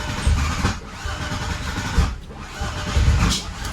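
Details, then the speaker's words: VW VR6 built engine, first starts: stumbles and lurches with uneven low thuds, never smoothing; misfire after plug wires on cylinders 1 and 5 were swapped. "He didn't like that. Switch them back, see if it starts."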